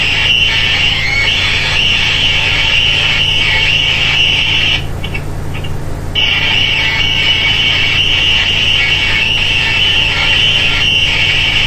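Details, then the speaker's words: Westinghouse Portatape tape recorder under restoration, playing back a recording it made: loud piercing high squeal over faint music, drowning out the song. "that's how it recorded you can tell the song through squeal but you can't listen to it"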